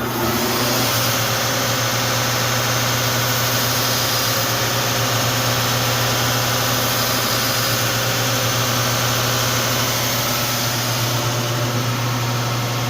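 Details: Wide belt sander with air-tracked belt, finishing White Oak panels at 180 grit: steady low hum under an even airy hiss from air passing the belt-tracking sensor, with no thumping or slapping; running normally.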